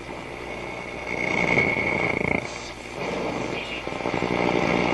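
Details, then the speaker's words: Telefunken Atlanta 101 radio, repaired by cleaning its push-button switches, on the long wave band with its large antenna: hissy crackling static and odd warbling whistles, no station; local interference swamps the band. "Okay, so let's switch on. And we'll start on the long wave band, and we won't hear anything but funny sounds."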